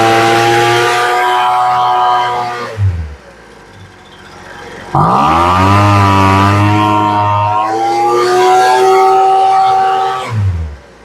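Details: Poulan Pro two-stroke leaf blower after new fuel lines and adjusting the low and high carburetor screws about half a turn: snaps up to a high, steady wail, drops back, revs cleanly again without hesitation. Normal full-throttle revving.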